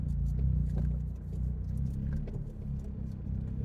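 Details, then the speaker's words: 2024 Toyota GR Corolla after installing an aftermarket pitch stop mount: heavy low drone while driving on a cold start, with loose irregular buzzing rattles through the cabin as the stiffer mount passes engine vibration through; cabin rattle and vibration. "okay guys so during cold start uh it definitely has a lot more uh cabin noise everything vibrates and just kind of like I don't know if you guys can hear it everything's rattling"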